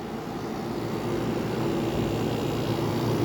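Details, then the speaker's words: White-Westinghouse (WCI) 5k window air conditioner on first test, warmed up after building head pressure: even fan rush over smooth compressor drone, no knocks or rattles; runs very smooth and quiet, normal running. "now it's built head pressure this thing runs so nice it's so smooth"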